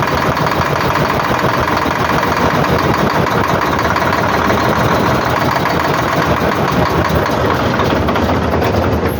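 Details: Volvo 460 dump truck with starting trouble: loud, steady, rough, uneven diesel clatter; fuel-system air lock from a failed injector O-ring, with turbo failure also noted.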